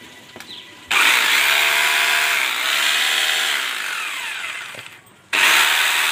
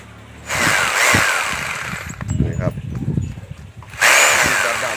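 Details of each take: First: Rotary hammer drill reassembled after fixing contacts that weren't meeting: three clean bursts, each spinning straight up to an even high whine and coasting down with no cutting out; running properly. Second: Rotary hammer drill cutting in and out, working only sometimes: roars about 1.5 s, drops out about 2 s, then kicks back in; possibly the forward/reverse switch contacts not touching properly.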